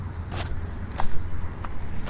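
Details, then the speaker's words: 2005 Cadillac Escalade 6.0L 4x4, crank no start, relay bypassed, tank banged on: faint, uneven clicks about every half second over a low hum. Only about 1 amp of current is drawn, showing a bad in-tank fuel pump. "That's a bad pump, guys. Look at that. We've got like 1 amp going on here."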